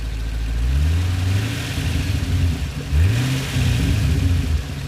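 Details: Pontiac GTO with manual transmission, up on jack stands in neutral, clutch untouched, throttle tapped: engine revs rise and fall with an odd whirring note riding the revs; source unidentified.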